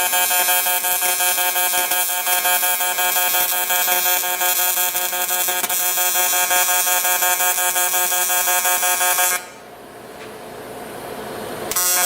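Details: TIG welder in pulse mode on a junkyard barrel project, metal not cleaned or brushed: a steady, fast, even arc buzz, then it cuts out to a quiet hiss; normal pulse-mode welding.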